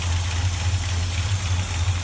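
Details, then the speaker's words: Rebuilt 1965 Chevy pickup small-block 400 V8 idling after 15 years parked, oil pressure 50 psi, alternator and temperature gauge working; deep, slow, even loping burble with no knocks or ticks, healthy idle. "the alternator is working and the temperature gauge is working so everything is good on her she's just barely turning there"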